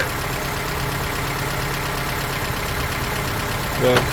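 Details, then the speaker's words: Honda Element SC, rebuilt swap engine with decked block: even idle with faint light ticking in time with the engine; owner thinks rocker arms need adjustment. "I hear a little a little bit of tap and that's probably because the uh the rock arms need to be adjusted."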